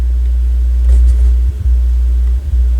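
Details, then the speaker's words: Technics SL-B202 turntable under repair: low steady hum that briefly drops out when the tonearm is flexed; intermittent hum suspected from the tonearm signal wires, not confirmed. "there's buzzing no I don't think it is that it's got to be the actual wires"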